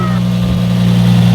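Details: Engine after cleaning the negative battery ground connection and fitting a new anti-theft battery terminal disconnect, fixing a no-crank, no-click no-start: steady, even low hum with no knocks, misses or hunting; normal idle.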